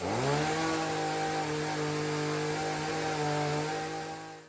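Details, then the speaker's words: Homelite chainsaw after fouled spark plug and fuel tank and filter cleaned, started with primer and choke: fires up and holds a steady, even buzzing drone at constant speed before shutting off; runs cleanly. "this chainsaw lives another day"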